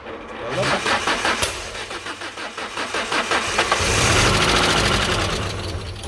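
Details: Alfa Romeo that won't start: the starter cranks steadily at about three beats a second, then speeds up, but the engine never catches. Owner unsure whether the fuel pump or the ignition is at fault.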